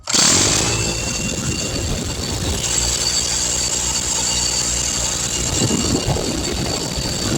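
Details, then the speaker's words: 20-gallon Husky air compressor after repair of a rattling failure: kicks on and runs with a steady, even hiss and hum while building air pressure, no knocking or rattling. "Yeah, I apologize about the noise. As you can see, it built up air pressure."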